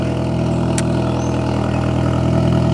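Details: Idle, possibly cold start, after installing an ISR Performance Series II EP single-tip blast pipe exhaust replacing the muffler: loud, deep, steady drone with no puffing or ticking at joints; no exhaust leaks, normal idle.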